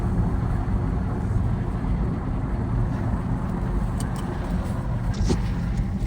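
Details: 2008 Toyota Sienna LE on a road test: steady low humming drone heard inside the minivan, louder when cold and quieter when warm, located at the rear passenger side; suspected bad rear wheel bearing, later replaced.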